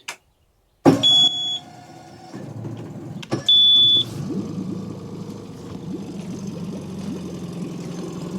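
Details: Tohatsu 20 hp EFI outboard, first start after winter lay-up on fresh E5 petrol, in a water tank, in neutral with the warm-up lever raised and choke: warning beeps, then it catches quickly and runs steady and even. This is a normal start.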